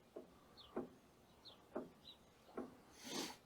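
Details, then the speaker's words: Woodland Mills HM130 Max sawmill after hitting a nail: idler/tensioner turned by hand gives two dull clunks per rotation, a suspected worn idler bearing causing lateral surging in cuts. "But you can feel there's like two spots every rotation of this where it goes clunk, clunk."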